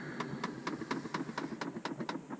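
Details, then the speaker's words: Dodge Ram blend door actuator clicking rapidly and evenly behind the dash, about four a second; only AC and floor airflow available, failing actuator to be replaced. "today we got a problem with our blender door actuator here and uh this is the sound it makes"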